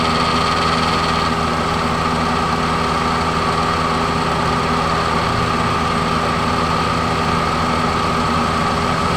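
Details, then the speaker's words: Toyota/Daihatsu MPV (Xenia/Avanza class) after AC repair (compressor clutch hadn't engaged, code P1530; thermistor replaced): steady idle with even hum, no knocking; compressor running smoothly and working normally. "terdengar suaraeng sepertinya kompresor sudah aktif ya teman-teman sudah aktif kita coba cek ke depan"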